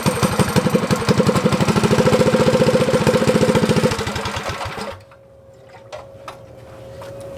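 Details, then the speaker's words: Motovox mini bike with a Predator engine and a PZ27 carb, after the idle was adjusted: an even, steady putter about three beats a second, idling with the choke open or closed, then a clean shutdown. "we got that problem fixed so now it idles with choke open and close so that's a good good sign right there"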